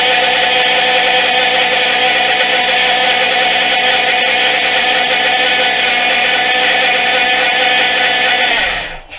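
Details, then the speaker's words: 2013 Chrysler 200 with 3.6 and 62TE 6-speed automatic that drops out of gear with code P0944, at idle: loud, steady high-pitched whine like a power steering pump, from the transmission oil pump losing prime. "That loud pitch whining noise there, it sounds like a power steering pump almost. That's actually the transmission pump."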